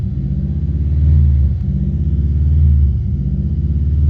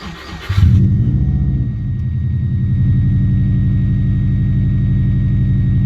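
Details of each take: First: Subaru Impreza with fault code 24 (idle air control/recirculation valve), restarted after cleaning the connector with contact cleaner: idle still swells and sags about every 1.5 seconds; valve possibly sticking, internal cleaning next. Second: Subaru Impreza after cleaning the air recirculation valve (fault code 24) that caused idle revving up and down: starter cranks briefly, engine catches and settles into a smooth, even idle, no hunting, engine light off.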